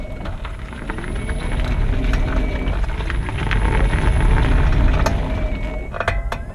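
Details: 2018 40 kWh Nissan Leaf at nearly 5,000 miles, GoPro on the front wing, pulling away from standstill in e-Pedal: sharp irregular clicks and creaks from the front driver's-side corner; cause unconfirmed, awaiting dealer diagnosis.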